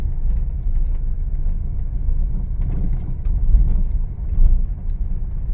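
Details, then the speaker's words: Honda Mobilio after tightening the stabilizer links, driven over a potholed unpaved village road: only tyre rumble and body jostle, no rattles or clunks from the suspension; normal suspension over rough road. "sudah nyaman ya Bro Ya sudah enggak ada bunyi belatak-gelatak di kaki-kaki"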